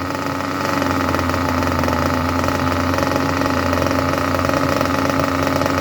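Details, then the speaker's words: Junkyard Mutt nitro engine on a break-in stand after leaning the low-end needle a touch: steady, even buzzing idle at constant pitch with no hunting or sputter; normal, healthy idle. "Well, I will tell you what, if that is not an absolutely lovely idle, I do not know what is. That is absolutely magnificent when it comes to idle."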